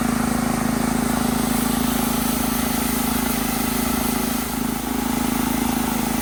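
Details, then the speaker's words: Italian Workman 2 Multimixer cement mixer, Honda GX160, about 10 minutes running, water in drum as simulated load, drum tilted: steady even beat with no stumbles or knocks; runs healthy under load. "still running strong I just tilted it back a little bit see if I can get more water in"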